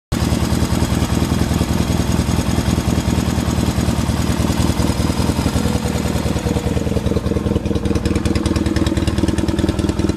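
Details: 1979 Yamaha XS650 twin freshly reassembled after engine repair, mixture screws not yet finally adjusted: loud, low, steady thumping idle with slight unevenness; normal idle.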